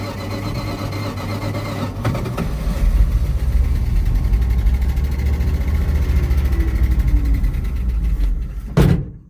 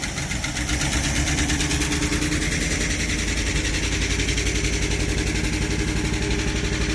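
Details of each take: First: Abandoned 1973 Dodge truck V8, just revived. It runs at a low, lumpy idle, then sags and cuts out abruptly and won't restart; out of gas. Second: Abandoned 1973 Dodge truck V8 with points ignition, unstarted for about 20 years, just revived with a warrantied starter and gas poured in. Fast, busy idle with a rough-edged but continuous exhaust beat and no knocks; it runs on its own.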